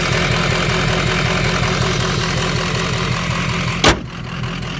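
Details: Ford 6.0 Powerstroke diesel idling lumpy and uneven with a wavering beat before shutoff; rough idle, owner suspects bad ICP sensor.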